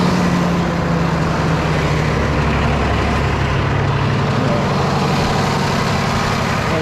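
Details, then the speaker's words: Freightliner heavy-duty truck broken down, diesel needing fuel priming, cranked while starting fluid is sprayed in: loud, steady starter grinding over a rough diesel rumble that won't catch cleanly, hard start from air in the fuel system. "his thing's going to be a pain in the ass to get primed"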